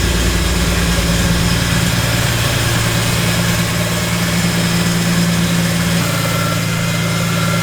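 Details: BMW E46 M3 after valve clearance adjustment, new valve cover gasket, spark plugs and coils to cure a misfire: loud heavy idle with coarse rattling drone from the front; ratchet and socket left on the crank pulley.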